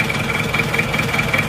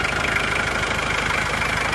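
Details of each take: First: Old, worn engine with blow-by, smoke pushing out when the filler is opened: uneven, lumpy idle with rough pulses about every fifth of a second and a shuddering beat; engine shake from wear, not engine mounts; smooth after engine repair. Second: Engine that shook at idle and when revved, old engine mounts not replaced; after the engine itself was repaired it idles smoothly and evenly with no knocking or misfire; normal idle.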